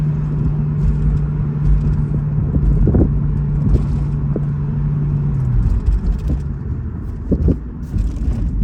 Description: There's a metallic rattling/jiggling/chirping noise coming from underneath my 2012 BMW E93 M3 convertible over pavement expansion joints, bumps, and road imperfections. It's most audible at low speeds, in any temperature.